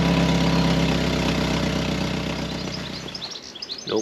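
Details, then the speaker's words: 1997 BMW Z3 1.9 idling with the new exhaust and catalytic converter fitted but the O2 sensor port left open: loud, raspy puffs about four per second, far louder as exhaust escapes the hole. "Definitely not quieter. A lot a lot louder because it's effectively got a hold of the exhaust."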